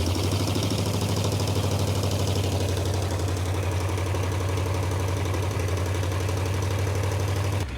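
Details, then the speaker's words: 1935 Ford coupe flathead V8, parked about 50 years, running on an 11°F day: slow, even, low burble at idle with a steady firing rhythm and no knocks. Not very smoky, with a little blow-by. Normal idle. "wasen that Flathead purr it ain't even that smokey got a little bit of blow by action going on"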